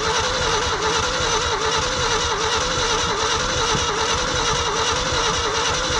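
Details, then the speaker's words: Old hybrid Ford F350 bumpside, long-sitting, cold weather, two-barrel carb: engine spins with a regular chug about once a second but never fires; crank no start despite spark and fuel, owner suspects spark not reaching the plugs. "I should have coughed by now got Spark It's got fuel I wonder if maybe it's not getting sparked out to here gotta check them all spark and fuel means you should run"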